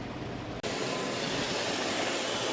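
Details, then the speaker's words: iRobot Roomba 650 after battery replacement; before, it made a constant noise and blinked yellow. Now a steady, even whirr and hiss with no surging or rattle, and it blinks while charging. Normal running. "Okay, it's not making noise. It is flashing. So I believe it's charging."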